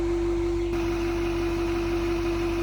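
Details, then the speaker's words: 2023 Chevy Silverado 2500HD 6.6 Duramax diesel with 800 miles, cold start at about 30°F: a steady, loud mid-pitched whistle over the idle rumble, heard every cold morning. Owner wondered about a failing fuel pump; cause unconfirmed. "so it's about 30 degrees out right now as you can hear that whistling noise in that so every morning on these cold starts you know this truck sits here and makes that noise"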